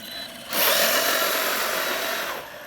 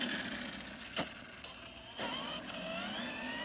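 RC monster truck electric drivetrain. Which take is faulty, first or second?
first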